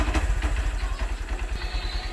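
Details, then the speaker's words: Honda Verza / Megapro motorcycle after cam chain replacement; steady even low idle thump, no top-end rattle, where before it made a jingling noise. "Motornya sudah halus ya. Kalau tadi bunyinya agak mericik"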